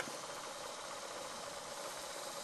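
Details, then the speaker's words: Sharp RD428UA dictation cassette recorder, probably from the 1970s, during restoration, rewind test after recording: steady, even light whirring hiss with no catches, squeals or speed surges; transport rewinds smoothly and sounds healthy. "And now we'll do a little bit of a rewind. So let's take a look at how this rewinds."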